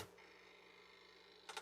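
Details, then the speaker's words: Apple IIc with ROM 255, powered on with keyboard connected during troubleshooting: faint steady high whine, then three quick floppy drive clicks about 1.5 s in, and it boots. Normal boot with drive clicking. "let's turn this on will it boot will we hear that beep in the clicking or will we just see an issue here we go"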